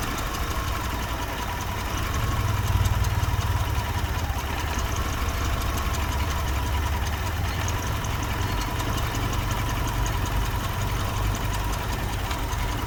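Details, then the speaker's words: Car engine vibrating and shaking violently at idle: a heavy, lumpy low rumble with uneven pulsing beats, a rough idle. Possible causes suggested are a bad MAF sensor, a cylinder misfire, or a dirty air/fuel filter; not confirmed. "When you have an engine that is vibrating and shaking violently like this, it shows that something is wrong."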